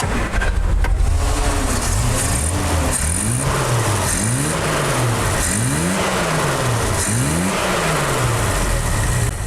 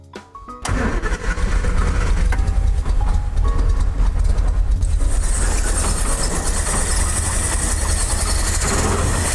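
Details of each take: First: 1973 Triumph GT6 that had run rough on only three of six cylinders because the front carburetor piston was fitted 180 degrees out; after refitting it correctly, quick throttle blips rise and fall smoothly without hesitation. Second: 1973 Triumph GT6, started after pressurizing the fuel tank: lumpy, ragged, stumbling running on only three of six cylinders, because the front carburetor piston isn't lifting.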